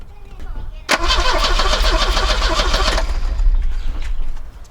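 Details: Volvo 245 revival with a new distributor and other ignition parts already replaced. About two seconds of quick, even cranking with no firing at all. No spark.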